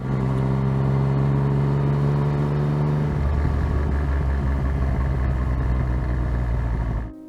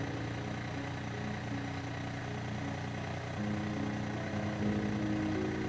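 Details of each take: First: Yamaha FZ-09/MT-09 engine at low rpm under engine braking/deceleration turns rough and rattly, the "gronk" clutch basket rattle from failing clutch basket or its drive cushions; fixed with new driven gear assembly. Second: Yamaha FZ09/MT09 idling after clutch basket driven gear assembly replacement for the "gronk" rattle on low-rpm deceleration; steady, even idle with no rattle or clatter; the engine is idling normally.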